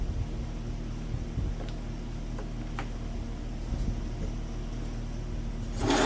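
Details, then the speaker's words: WWII Wisconsin AB military Signal Corps generator small engine, first run in about 70 years, rope-started, with two-stroke oil added for the top end. It chugs steadily with the governor actively working, no clunks or rattles; running normally. "that sounds amazing and the governor the governor is actively working in the back that sounds amazing no clunking no weird stuff going on it is running fantastic"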